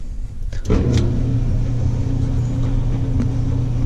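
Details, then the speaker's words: Maytag LDE6914ACL dryer after tightening the loose panel bolt that let the top pop up and down: steady low hum and drum rumble, no knocking or thumping; normal running, though the belt is fraying and cracking. "So once I open this, so one of these panels here was loose. All I had to do was tighten them all up, and so far there's no knocking."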